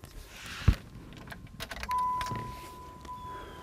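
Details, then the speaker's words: Key-on fuel pump prime on a car that won't start: click, then a thin steady hum for about 1.5 seconds; the pressure gauge comes up to 40 PSI, showing the fuel pump works and should supply enough pressure to start. "it came up to 40 PSI helpfully and you got that with the movement when we turn the key on it came up to 40 PSI and that indicates that the fuel pump works and that should be enough fuel pressure to actually have this start the vehicle"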